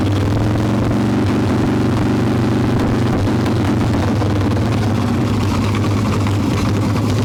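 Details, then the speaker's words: Harley-Davidson Evo Softail, carbureted, hot engine, choke plate bolts loosened, mixture screw being set from seated to about one turn out: loud lumpy uneven V-twin idle that never settles; rough idle from suspected intake air leak. "definitely have a leak on the intake somewhere and we'll try and get this started"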